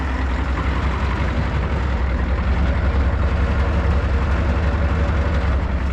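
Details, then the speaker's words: Deep, heavy idle rumble with a slightly uneven, lazy pulse on a revived 1994 crew cab truck; it sounds a little sluggish, and the owner guesses it's probably just old. "Does sound to be running a little sluggish."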